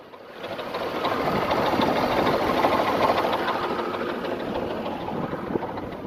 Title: Nissan VG33E Engine Knock